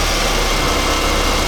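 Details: Nissan D21 Hardbody just after ASI Performance 2-row radiator install, new fan wiring and antifreeze fill, barely warming up: brief even idle rumble under heavy hiss, no knocks or misses; settling into a healthy normal idle.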